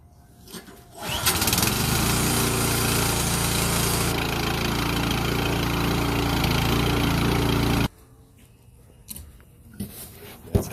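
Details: Yard Machines 21-inch snowblower, PowerMore 179cc engine, previously wouldn't stay running despite spark, after carburetor cleaning for gas issue: catches after a pull, runs steady and even about six seconds before shutting off; healthy normal running.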